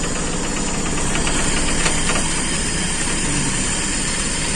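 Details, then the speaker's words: Carbureted Toyota Kijang that idled roughly and shook, after reconnecting an open vacuum/PCV hose: steady, even petrol idle with low rumble, no misfire stumble or knock; now running normally. "Bismillahirrahmanirrahim udah normal teman-teman Alhamdulillah"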